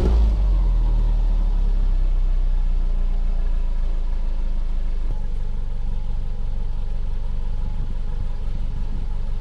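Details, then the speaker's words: 2009 Subaru Outback after installing a new stainless steel cat-back exhaust: deep, even low rumble at a steady pulse with no rasp, blowing or rattle; much quieter than before. "She's definitely whisper quiet compared to how it has been for the last few years."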